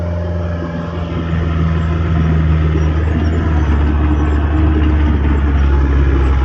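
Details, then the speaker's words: Late-1980s Caterpillar 943 diesel at full throttle reversing uphill and turning; deep steady drone holds pitch with no sagging or stumbling, not bogging down; engine pulls cleanly, normal under load. "Turns really well, goes uphill, like I say, full speed. It's not bogging down."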